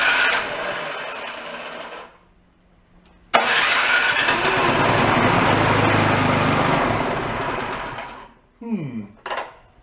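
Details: Cheap yard-sale two-stage snowblower, started on choke with a primer squirt: small engine runs loud with an uneven, surging beat, then dies. Debris was then found. Rough running.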